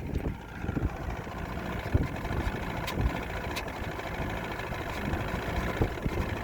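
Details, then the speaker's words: 1995 Evinrude 112 SPL two-stroke outboard running rough at part throttle on the water with new plugs and plug wires; it hesitates, improving as rpm rises, and tops out around 2,000–2,100 rpm with no full speed. "okay still it's a little hesitation there but less and less as the rpm pms go up"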